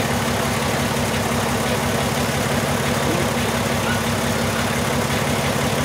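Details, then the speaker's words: 2002 VW Jetta VR6 idling with lumpy beat and dropped pulse after injector replacement; cylinder 1 injector circuit code persists. Control wire pulses with 3.5 V bias and 12 V supply, so the replacement number one injector is open and bad. "if we have this 12 volts here that means that Tony got a bad injector that's exactly what he has"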